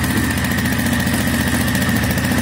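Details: Minsk X250 single-cylinder after swapping to a used 18,000 km cylinder with original piston and rings: steady, even putter at idle with no tapping or knocking; earlier new Chinese parts had knocked.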